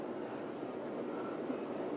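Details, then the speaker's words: Normal running on a 1989 Homestead Universal 52-inch ceiling fan on high speed, after oiling the bearings. Only a soft, even rush of air is heard, with no ticking, squeal or rumble. "And that it's that stuff takes a while to work, but once it's really gotten into the bearings, it does do a pretty good job because as you can hear, you like can't even hear it anymore."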